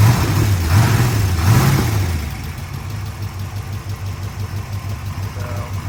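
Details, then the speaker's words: 1965 Corvette L76 327/365hp V8, fresh body-off restoration under 30 miles, fully cold after about two weeks unstarted: strong, even high idle settling after start, light steady solid-lifter tick over the rumble; healthy. "Here, that's solid lifters. High idle's working."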